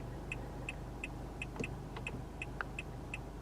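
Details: 2022 Nissan Altima SV: crisp, evenly spaced electronic turn-signal ticks about three a second over a quiet idle; indicator flashing normally.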